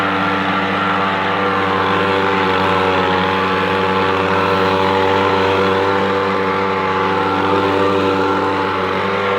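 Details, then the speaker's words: Echo PB-250LN two-stroke handheld leaf blower after fuel line repair, warmed up after its first minute: steady high buzz at constant speed, no surging, sputter or dropouts; running pretty good. "well what you think but that seems to work pretty good to me now I never saw it running before I repaired it but I know what's running now it takes that first minute to to get warmed up and then it runs pretty good"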